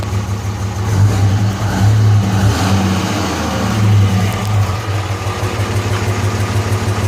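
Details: 2005 Cummins diesel with white smoke: rough, lumpy idle with an uneven stumble about three times a second; misfire from injector #3, which had passed testing, found by its hotter exhaust manifold.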